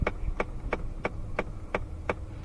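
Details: 2017 Ford Fiesta clicking when the AC or recirculation/max AC is switched: steady dry clicks about three a second behind the dash from the failing recirculation door actuator.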